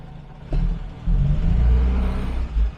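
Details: Morris/BMC 1300, warmed up with temperature mid-gauge and choke off, after fitting a new engine mount: low, steady engine note swells smoothly pulling away from a stop under light throttle with no clunks or knocks, so the previous pull-away clunk is gone.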